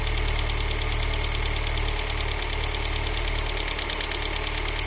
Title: X20XEV ticking sound